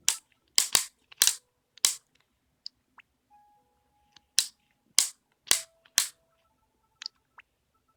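Sharp, irregular clicks come in bursts with quiet gaps between them, a repeated mechanical clicking from inside the handheld, cause unknown.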